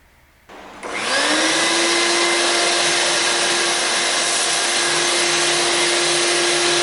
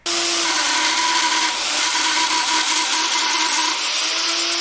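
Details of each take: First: Shop vacuum after repair (bearings greased, rust cleaned off motor) that had squealed and smelled hot: switches on, spins up quickly, steady whoosh and even hum, good suction, squeal gone. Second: Shop vacuum running with a harsh gritty roar and steady squeal, smelling hot, from dry, rusted motor bearings; fixed by disassembly, greasing the bearings and cleaning rust off the motor.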